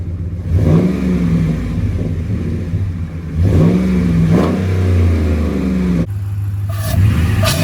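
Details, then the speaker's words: 2009–2018 Dodge Ram 5.7L Hemi after cold air intake installation: deep V8 blips rise and fall cleanly with louder intake rush at the front; normal revving. "Okay, rev it up. Oh yeah, you can hear it right in the front."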